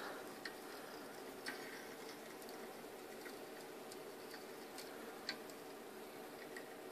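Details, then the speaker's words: Heat engine heat exchanger near 1,000 PSI and 84 °C: faint irregular ticks and pops over a quiet hiss. A hairline crack is confirmed by the pressure drop; the crackling is suspected boiling oil inside. "that's not very good sound probably boiling oil in there at this point she's hot and busted"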